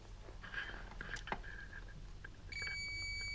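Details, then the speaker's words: Yamaha XS1100 cafe racer rewiring, tester hooked on brown wire at the old flasher unit feed; quiet handling noises then a steady high tester tone comes on and holds, showing power present. "we got power there."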